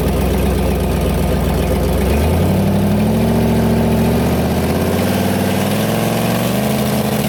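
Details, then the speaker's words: Turbo LS V8 Ford Ranger on test drive before track, testing 2-step: idles roughly, revs rise and settle with a loud sharp metallic lifter-like ticking on the exhaust note; broken exhaust causing big exhaust leak, running lean, not building boost. "well bit sad but I got that big exhaust leak in there and it wasn't building"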